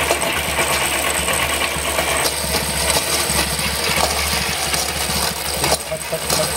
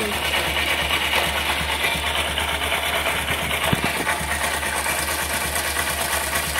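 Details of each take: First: Honda SP125 BS6 motorcycle, 42,417 km on chain and sprockets: loose uneven clattering over a quiet single-cylinder idle; stretched drive chain slapping, adjuster already at its limit. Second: Honda SP125 BS6 motorcycle at 42,417 km after chain sprocket set reversed and refitted to cure khat-khat chain noise: steady smooth run with no slap or grinding; normal chain drive running after fix.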